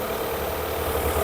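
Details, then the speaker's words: Car with LPG system: short stretch of smooth, even idle with no shake while a regulator hose is pinched; on LPG it otherwise shakes, smooth on petrol, fault traced to LPG regulator. "Motor su gibi şu anda."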